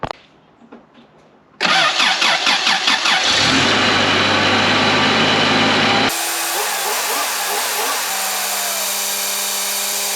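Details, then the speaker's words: Toyota 4Runner after new exhaust manifold and heat shield install: cranks, catches and settles to an even idle with no exhaust ticking or puffing; exhaust leak gone, no vacuum leak felt, though a pulley possibly going out is suspected. "all right step away from that loud thing for a bit the exhaust leak's gone but uh I didn't feel a vacuum leak"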